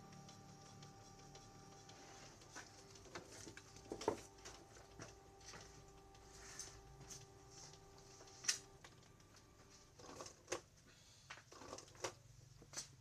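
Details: Canon G2000 printer after cleaning and regreasing dried grease on print head carriage and gears with white grease: soft whir with scattered light clicks, no grinding; now running quietly and normally.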